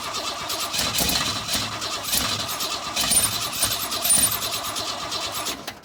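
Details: 1962 Ford Falcon inline engine, not run in 25 years, aftermarket carburetor on factory intake, gas poured in: long fast even starter cranking with hissy top end, no firing; cranks but won't start. Timing later found way off, likely main problem.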